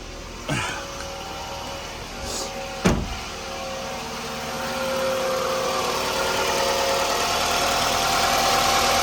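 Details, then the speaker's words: 2002 Toyota RAV4 at 210,331 miles, started right after a DIY oil change: a few clicks and a clunk, then a steady, even idle with no knocking or ticking. Sounds good, normal idle. "Sounds good. I'm hoping she'll last for 300,000 miles."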